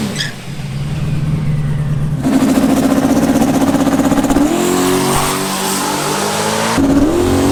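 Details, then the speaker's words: Drag car on a full-throttle quarter-mile pass. A hard pull stepping through gears, with an uneven, stuttering edge. Choppy running under full throttle; the logs are to be checked. "so i sound a little choppy i don't know what's going on we'll go check the logs and see what's up"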